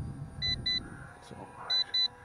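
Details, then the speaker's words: YLRC S138 brushless optical-flow beginner drone in flight near the end of its battery: two pairs of short, shrill beeps over the faint motor hum; low battery warning, no more flips once it sounds. "now don't do flips anymore after the battery starts saying it's low"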